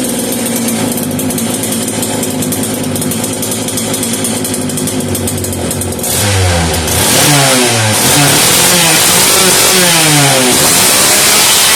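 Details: Homelite 330 junkyard chainsaw after rebuild, restarted, grumpy to start: settles at a rattly idle, then snaps through several sharp revs climbing and falling quickly; running again.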